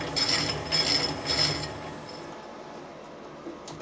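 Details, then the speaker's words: Lathe change gears, tumbler reverse turning anticlockwise at slow speed, set up for metric thread cutting: slow rhythmic gear chatter about two clicks a second that fades; normal gear mesh noise, nothing to worry about. "no turn anticlockwise you can hear the gears nothing to worry about"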